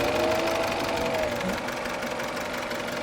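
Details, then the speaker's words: Isuzu D-Max diesel idling rough with a lumpy beat; disconnecting injector four makes no difference, number one a big difference, number three kills it at once. "but disconnect number three it kills it straight away doesn't it"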